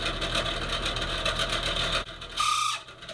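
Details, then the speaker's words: Bathroom exhaust fan motor: rapid rattly clicking over the fan's whir, then a short squeal; the motor is worn out and needs replacing, likely failed from heavy dust and dirt buildup. "As you can hear, mine is in pretty rough shape."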